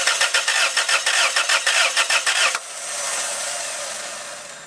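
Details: 1992 Toyota Tarago/Previa/Estima during a cold start injector test: even starter chugging at about three per second for two and a half seconds, then stops without firing because ignition is deliberately disabled.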